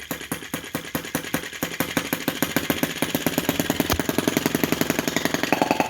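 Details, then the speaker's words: T16B Lanz-type brass half-tracked model tractor on its very first start, held up off the floor: tiny four-stroke chugging with slow, distinct pops around three to four a second, smoothing as it warms; normal, healthy slow-revving idle. "I love that sound. I'm pretty happy with that already. Really happy with the slow revving."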